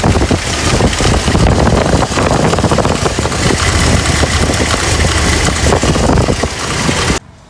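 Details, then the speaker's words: Dodge Dakota, believed 1995, warm at operating temperature: uneven metallic chatter at the belt, three or four times a second, from a rough idler pulley bearing; tapping it sounds different from the good pulley, and the noise deepens at higher engine speed. "Para saber si la polea está dañada a veces basta con pegarle así pegarle al contrario y se va a poder oir un sonido diferente esa no lo hace pero esta sí Entonces ese ruido ya una vez en velocidad y dando vuelta el motor se se hace más más grave"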